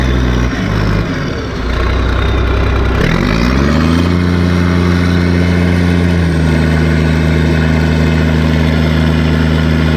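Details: Case 1450B dozer, freshly rebuilt diesel engine after reassembly: fires, revs up, then settles to a steady, even idle with a clean hum; oil pressure about 27 psi at idle, owner checking blow-by; sounds healthy.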